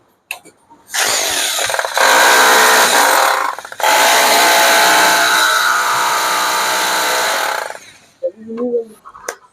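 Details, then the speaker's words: Serviced hammer drill, bearing replaced for a harsh grinding noise, tested hammering into a piece of wood: a loud, even, rattling buzz under load with a brief dip at about 4 seconds, then steady. Strong beating, working well after repair. "Drill ഇട്ടത് നല്ല അടിപൊളിയായിട്ട് working ഒക്കെ ആവുന്നുണ്ട്. നമ്മള് മരത്തേല് ഭിത്തിയും അടിച്ചില്ല, just ഒരു മരത്തുമ്പോ നമ്മ കുത്തിയൊക്കെ നോക്കി. നല്ല ബീറ്റിംഗ് ഉണ്ട്."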